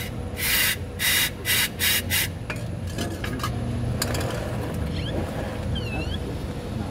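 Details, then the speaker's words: 2017 Toyota Hilux at its 10,000 km service, about 170,000 km: repeated dry rasping rub in bursts about twice a second, then fading; front axle shaft seal groan, stopped by spraying lubricant on the axle shaft. "tu viu aí moçada pronto parou para o segredo dica de um milhão de dólares em esse gemido da Hilux aí é só passar o spray de Garça Branca ali no semi-eixo ó"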